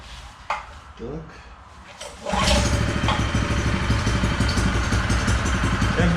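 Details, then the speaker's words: Honda GX160 engine on M80H concrete power trowel, comparison healthy unit: catches and runs smooth and even, much quieter even at raised rpm, no tapping; normal, unlike the one knocking between crank and con rod. "бачите, різниця колосальна. І навіть на повишених обертах він працює гораздо тихіше."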